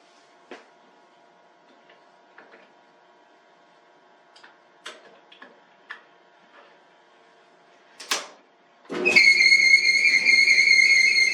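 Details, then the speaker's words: A Maytag Dependable Care Plus dryer starts with a loud, steady high squeal over the drum hum. The owner suspects a loose belt. "Sounds like a belt is loose in there."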